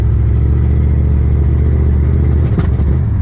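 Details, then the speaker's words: 1977 Chevrolet Nova Concours survivor pulled from a farm, after a 150-mile drive home with no power left: rough lumpy rumble with uneven burst of pops; owner jokes it's two-step ignition retard or actual problems; likely misfire. "Yikes. You know what that is? is, that's two-step. Now the car has two-step, which is ignition retard for drag racing, or else it's got actual problems."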